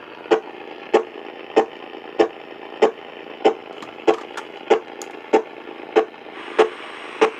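Sharp, even static ticks about 95 a minute over a quiet hiss: interference from the nearby battery float charger.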